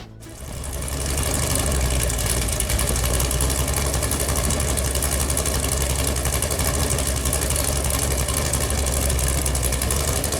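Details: Freshly built Chevy Performance 454 big-block V8 on engine run stand, first start with good oil pressure: deep, even burble at steady idle (target 900–1000 rpm), no knocks, ticks or misses; healthy normal idle.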